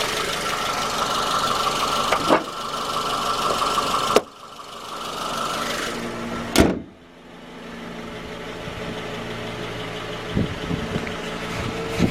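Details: 2010 Suzuki J20A engine, cold idle, knock appeared around 10,000 km and grew after oil changes: dull knock under steady running; found to be a scored crankshaft journal on cylinder 3, fixed by short block replacement.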